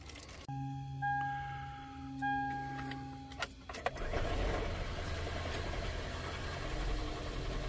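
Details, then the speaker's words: 2001–2003 Gen 1 Prius with random misfires and failed starts: steady electric hum, then a rough, rattling engine spin that clunks without catching, because the fuel pump only runs once the engine turns, so there is no fuel pressure yet. "right now you hear that clunking that's because there's no gas pressure so now you got just like I said you got the failed to start"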